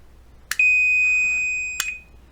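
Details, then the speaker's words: 1938 Montgomery Ward Airline 62-365 Teledial tube radio, after repairing the on/off switch: a single steady high continuity beep for about a second as the switch turns on, showing it now closes cleanly. "on as you say it's coming on one more time on and off so this is fixed now"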